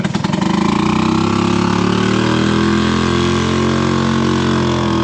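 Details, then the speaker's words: Three-wheeled Harley-Davidson golf cart on test drive: loud, blatty exhaust drone, harsh and steady once engine picks up; slightly quieter than before but muffler worn and still needs replacing. "I will say it's better though it's not as loud with this little water right here before I could like hardly stand it all right well it is a little bit quieter which is an improvement is it still loud yeah could definitely use a new muffler still"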